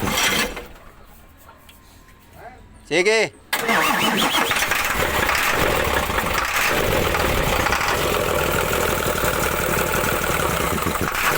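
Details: Isuzu 6HK1 diesel being diagnosed for a no-start: the starter spins the engine with uneven beats at roughly three to four per second, but it never fires; cranks without starting.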